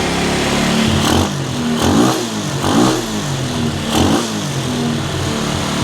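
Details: Cheap quad bike ATV revived with new wiring loom, cleaned carburettor, new spark plug, CDI, regulator, battery and clutch, jump-started and warming up: single-cylinder blipped in even rises and falls, returning to steady idle each time. Normal running and revving.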